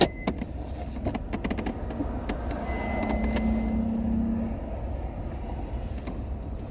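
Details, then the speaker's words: Toyota Camry on road test; road noise then a faint steady squeak about a second and a half from the rear brakes; minor squeak, not necessarily needing work. "see that I I it sounds like the back brakes are making a little noise that doesn't mean it needs anything"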